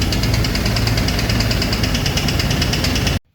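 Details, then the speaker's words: 2001 Jeep Wrangler Sahara just fired up: loud, steady idle with a heavy internal knock at firing rhythm; unplugging injectors one at a time did not single out a cylinder, cause unknown. "So, that's our problem. Loud knocking noise."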